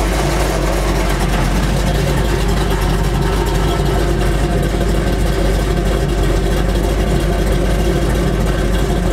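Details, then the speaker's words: Chevy C10 truck V8 warming up: deep steady idle burble with no knocking or misses; normal idle, tachometer needle jumping. "This is me hearing the idle. Wow, and it sounds good. It sounds good."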